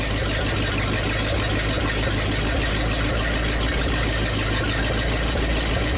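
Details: 1956 Studebaker/Packard 352 V8 in a motorhome, previously low compression, quick test run with downpipes: deep smooth even V8 idle, no lifter tap or misses, good oil pressure; normal idle.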